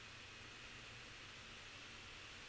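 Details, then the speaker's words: 15-inch 2012 Retina MacBook Pro with asymmetric fan blades, both fans set to maximum via smcFanControl, recorded on a Yeti mic: loud steady airy rush with faint high whine, no rattle or ticking; normal. "don't know if you can hear that or not but that's the fans going at their full speed for"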